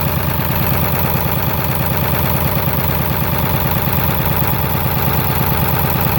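Deep diesel idle with uneven, lumpy firing at about three pulses a second that never settles; a rough idle, cause not pinned down.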